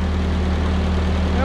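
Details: 1946 Ford 2N tractor, flathead four, after head gasket replacement (suspected warped/blown from loose head bolt), fresh oil: steady, even low idle rumble, no knocks or misses. Normal idle.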